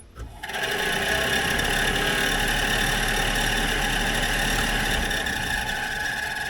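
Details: Heater blower fan of a 1964 Dodge D100 Utiline pickup: it spins up and runs with a loud, steady, high-pitched squeal over a whirring hum. A repair later made it much quieter.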